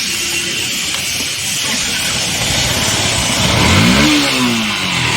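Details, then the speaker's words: Yamaha FZ-V3 motorcycle makes an abnormal noise when started: engine revs with a rising note and busy mechanical clatter over the exhaust; cause not yet identified. "इसका problem यही है कि जब start हम करते हैं तो इसम आवाज आता है न न की आवाज इसम आता है"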